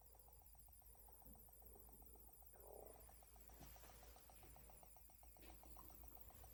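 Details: Dell B2375dfw laser printer, little used, not waking from sleep, hissing near the electronics at power-on, CMOS battery replaced. A faint train of evenly spaced high beeps over a low hum from the printer speaker: unexplained electronic tone.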